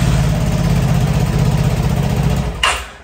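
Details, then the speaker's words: Vespa Matic scooter, owner's example of a normal case with no error: steady low idle, then a short click as it is switched off; nothing abnormal heard. "misalnya kayak tadi ini adalah kasus yang normal ya tidak ada error sama sekali"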